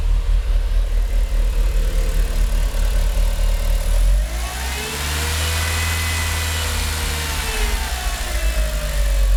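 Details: Mitsubishi Evo IX MR with flashed ECU, rough idle for months despite new spark plugs and no vacuum leaks found: idle sags and surges between about 400 and 800 rpm as if about to stall, shaky cabin; runs and boosts fine otherwise.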